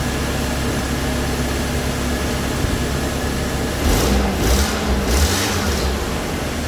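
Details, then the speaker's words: Toyota Hilux petrol engine just after removing, cleaning and flow-testing the fuel injectors: steady, even low idle with no misfire stumble or ticking, a couple of brief louder swells; runs smoothly. "all right sweet she runs"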